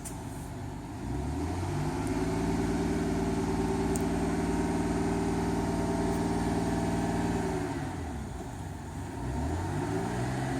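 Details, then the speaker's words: GMC New Look bus diesel, first start in a year after sitting, a little smoky: climbs smoothly to a held fast rev, stays even, drops cleanly back to idle; healthy, though seized brakes keep it from moving. "but nevertheless it was nice to hear the old girl roaring away certainly brings back memories"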